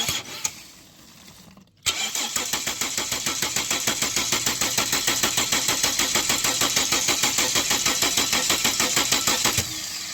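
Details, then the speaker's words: 2006 Ford Falcon starter churns steadily at about three beats a second for eight seconds and never fires; injector control good, fuel smells off; tank drained through a screw underneath and the fuel was mostly water. "So putting everything together here, I can smell very off this fuel. Doesn't smell very strong, so I'm gonna get a sample now. I think there's just a lot of water in this tank."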